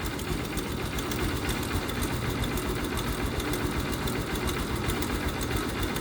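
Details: TMX Supremo single-cylinder motorcycle at idle, warm: fast busy ticking clatter from the top end that doesn't change when hot; owner suspects the timing chain, cause not confirmed.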